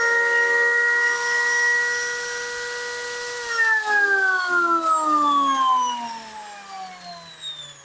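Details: Makita angle grinder that overheated in use, after replacing a wrongly fitted 608 bearing with the correct 607 and fitting brushes: steady high whine, smooth wind-down after switch-off, no rattle or scraping; normal running after repair.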